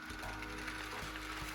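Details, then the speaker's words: Walthers Trainline EMD GP9 model locomotive pulling a long train of knuckle-coupled cars: quick, uneven clicking and rattling over the small motor's buzz as one car bumps along derailed. "And one's even derailed, I can hear. One's really derailed."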